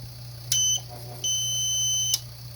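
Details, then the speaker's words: PowerBright inverter on 12 V battery trying to start an air compressor: short high beep then a longer steady beep over a low hum; inverter trips on overload alarm and will not start the compressor. "no i will not start it so none of these inverters will start this compressor"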